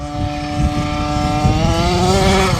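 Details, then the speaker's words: OBR 46cc 12hp two-stroke gas engine with silenced pipe in an upgraded Losi 5T 1/5-scale 4x4 RC truck, first track run at half tank; high buzzy note climbing with throttle but blubbery and unclean; carburetor needs tuning. "- Could definitely use a bit of a tune if you hear it."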